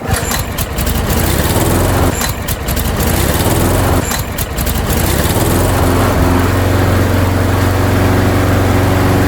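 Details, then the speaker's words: Craftsman lawnmower, small single-cylinder Tecumseh or Briggs & Stratton engine, after repair: primed and pull-started, catches on the second pull and settles into a steady even run with no misses or knocks. "Beautiful. It is working perfect."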